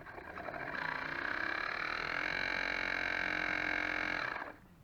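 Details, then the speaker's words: Dishwasher drain pump tested on a drain cycle after repair, with the impeller reglued: steady whirring with a loud rattly high whine through the cycle, then it drops away. Noisy drain pump. "Ah là a fait du pot. Elle fait du potin ma pompe."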